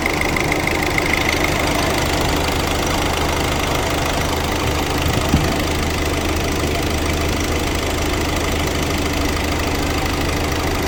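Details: 2018 Hyundai Accent CRDi 1.6 diesel after repair for a cylinder 2 misfire and knocking: even, steady diesel clatter at idle with no misses or heavy knocks; normal, smooth diesel idle.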